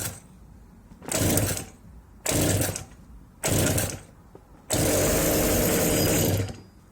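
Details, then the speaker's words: Old two-stroke chainsaw, cold start on choke with the trigger locked at fast idle: three short bursts as the cord is pulled, then a longer sputtering run as it fires under its own power. A normal cold start. "The filter's on, and then you're just going to pull the cord several times until you hear the engine pop or turn over, or whatever you want to call it. Basically, turn over under its own power, and then don't pull it anymore after that."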